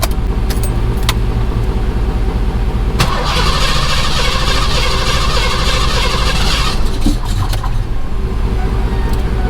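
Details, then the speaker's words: Fox-body Mustang with Magnaflow exhaust, started after sitting for months on a weak battery: cranking, then an uneven stumble and surge before it holds running; rough start. "didn't like that at all hmm kind of a rough start kind of a rough start but as you see she is running still sounds good with those magnaflow's"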